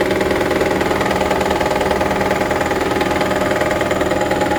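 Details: 2009 Toyota Prius Gen 2 after an engine swap: quick, fairly even ticking of about 200 per minute over a steady idle; the source of the tick or knock is unknown.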